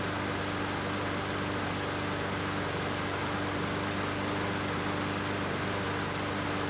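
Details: Murray 21-inch mower, Briggs & Stratton 450 series, after cleaning plastic carburetor with water contamination that caused hunting and sputtering: steady even engine drone, no surging; slight hesitation but running much better.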